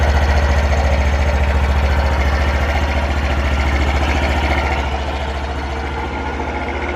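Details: Honda Super Cub 50 FI AA04 parts bike, recall work done; small single putters evenly, settles to steady idle after a blip, no knocks or rattles: normal idle.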